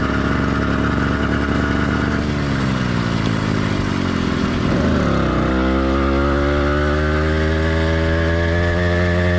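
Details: Warmed-up but not heat-soaked two-stroke motorized bike kit engine (single-speed, single-circuit carburetor): steady buzz dips and picks back up, then settles into an even drone with occasional light uneven firing; normal running, light four-stroking.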